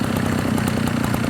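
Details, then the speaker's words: Redmax EBZ7000 backpack blower after a carburetor tune-up kit, with the too-high idle backed down on the idle screw; fast, even two-stroke putter at steady moderate speed with no hunting or surging, a properly set idle. "it's about right for me you"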